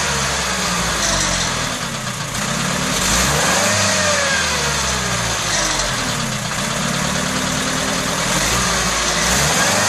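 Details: Old IFA Robur LO military flatbed truck petrol engine revving unevenly with a sharp exhaust bang: misfiring with backfire and exhaust flames.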